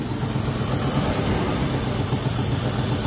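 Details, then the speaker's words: 1997 Land Rover Discovery 1 V8, manual 5-speed, after new spark plug wires, in neutral: steady idle with rapid uneven puffing tick over the rumble; known exhaust leak, otherwise sounds healthier, no smoke. "and she's alive oh that's that sounds that sounds better i mean i have the exhaust leak"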